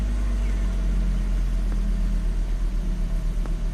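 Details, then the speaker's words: 2005 Volvo XC90 Turbo, 80k miles, idling after restart with fuel pressure 65 PSI and pump duty cycle about 30%: steady even low rumble, no misses or hunting; normal idle before later stall. "okay 65 PSI about 30% duty cycle everything looks okay"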